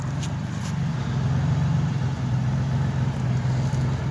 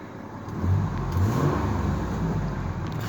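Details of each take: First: 1998 Ford F-150 XLT 4.2 at idle: low rumble with an uneven stumbling beat about three pulses a second; engine sputtering, rough idle. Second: Ford F150 XLT with the 4.2 engine and 130,000 miles, owner suspects a vacuum leak and original plugs and wires: deep, even engine note rises smoothly with a little throttle and holds steady, no miss; running smooth.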